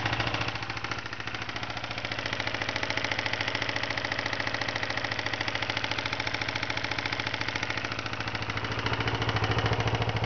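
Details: 1992 Kawasaki Ninja 250 twin idling with a steady, fairly even knock of nearly three per second riding on the exhaust beat; bad rod bearings.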